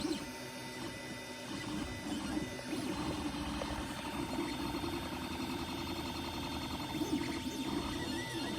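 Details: Creality Ender 3 Pro 3D printer running with an uneven whirring and a faint squealing tone over a low hum; something is off, cause unclear.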